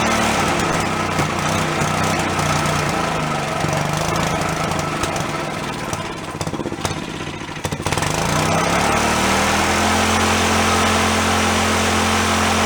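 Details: Long-stored Yerfdog go-kart single-cylinder, now running on its own without thumb-choking: brief stumble, then a steady, even putter at fast idle; owner thinks a blocked carb passage or vent suddenly cleared.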